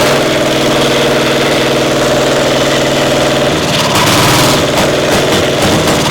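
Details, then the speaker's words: Caterpillar Diesel 70 twin pony motor, round 4 start: ragged, lumpy beat with missing pulses, sometimes running on one cylinder; spark plug suspected, misfire from bad magneto cap. "Not sure. Sounds like I might be running on one some of the time."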